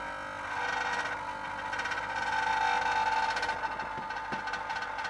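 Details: Running fridge: steady mid-pitched buzz with a loose, uneven rattle, not louder with doors open; compressor itself is fine.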